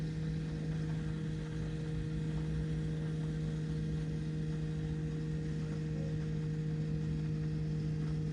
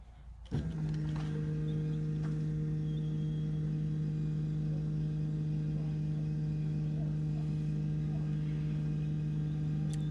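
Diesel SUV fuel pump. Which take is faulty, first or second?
first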